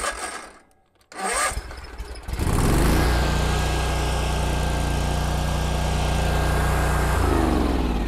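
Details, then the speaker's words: Kubota Z122R Kommander mower with new carburetor: short crank, then catches and settles into a steady, even idle once the choke is off. "well so far it fired right up and as soon as i shut the choke off it smoothed out"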